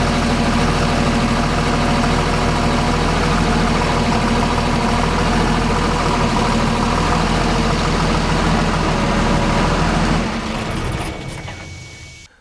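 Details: Transit bus small V diesel after ECM reprogramming (now 300 hp, torque raised from 525 to 650 lb-ft, speed limiter deleted). Steady, even idle pulsing about four beats a second, no misses or knocks, clean shutoff; healthy engine.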